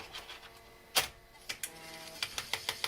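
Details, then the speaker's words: Macintosh SE/30 floppy drive (1.44 MB disk, after SCSI2SD install attempt) struggling to load a disk: faint whirring, sharp clicks, then even ticks about seven a second; drive barely pulls disk in, needs lubrication, disk may be bad. "oh that sounds really bad oh it definitely did not like that one it sure doesn't suck that down very quickly no"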